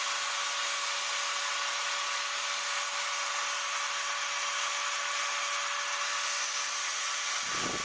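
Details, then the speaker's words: Maktec MT971 4-inch 850 W angle grinder, being repaired for a shorted armature with a blown commutator, gives a smooth, even high-pitched whine without flutter or rattle; electrics check out normal, running healthy. "โอเคครับไฟโอเคปกติดีทุกอย่างนะครับ"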